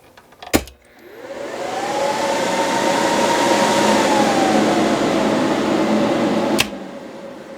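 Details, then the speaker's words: 4-pill BLF188XR LDMOS amplifier after fitting a HushMat-lined chamber with hard 90-degree air turns: fan spins up to a soft steady whir; roughly 85–90% of the fan noise removed. "After making all these hard 90-degree turns, we've killed probably 85–90% of this noise."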